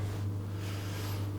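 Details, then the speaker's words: Coldis COLV12a+49dm dishwasher that had beeped and wouldn't start, after a no-tool fix: steady, low, even hum of the drain pump emptying at the start of the cycle, about 20–30 seconds with no beeps, then it quietly begins filling. "there we go the emptying is stopped and I can hear it very quietly starting to fill with water"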